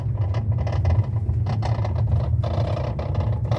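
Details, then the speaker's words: 2013 Toyota Avalon driving over very bad road: irregular clattering knocks over heavy road rumble, seemingly from under the car but actually from the steering column's worn electric power steering damper 45254-28040. "can you hear that noise under the vehicle uh sorry the noise coming from the vehicle is very uncomfortable and if you're not careful you may think it is the undercarriage that is causing the problem"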